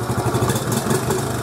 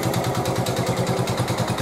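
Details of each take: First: 1986 Honda TRX70 air-cooled single after a top-end rebuild, head bolts torqued to 9 ft-lb: small revs pick up cleanly and settle back with no stumble or bog and no smoke; normal throttle response. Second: 1986 Honda TRX 70 after top-end rebuild and new fuel lines, choke on: sharp even knock about eleven times a second over small single idle, initially thought to be valves but found to be piston and cylinder, no smoke.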